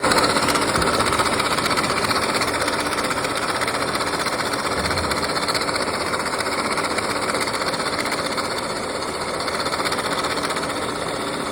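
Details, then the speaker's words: 2013 Mini Countryman 1.6 L idling with a fast, loose metallic rattle from the belt drive in the engine bay, traced to a worn water pump belt tensioner and pulley. "the engine had like a rattle noise and that was the customer complained that he heard like a rattling noise in the engine bay"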